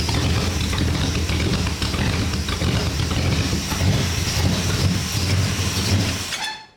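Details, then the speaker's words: Classic car with a 318 V8, freshly installed, brief start with no coolant yet: deep, smooth V8 rumble held up on the throttle, then falling away cleanly with no knocks or misses. Normal revving. "oh yeah I'll give her a bit of throw [Music] wow"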